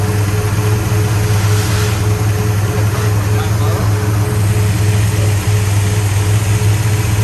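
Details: 1966 Pontiac GTO convertible V8 after repair of white smoke from water getting into a cylinder: deep steady rumble, even beat, no misfire or stumble; sounds good, slight blue smoke.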